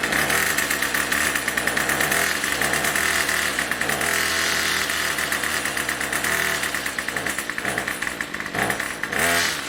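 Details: Craftsman Weedwacker trimmer 316.791191, MTD 27cc two-stroke, Zama C1U-P27 carb, after rebuild, next-day cold start with a little throttle: catches and holds a steady crisp rev with small throttle blips; normal cold start and running.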